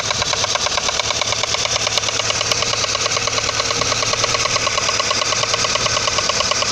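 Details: Audi 80 engine at idle: a fast, even metallic tapping rides over the idle, locked to engine speed; a clear engine knock, cause unknown.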